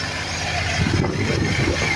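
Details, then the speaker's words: 1988 Ford F-150 5.0 V8 idling with steady airy hiss and faint high-pitched whine: normal air injection pump whine, air escaping through its bypass valve. "Alright, I don't know how good my phone's microphone is, but I can hear a high-pitched whine."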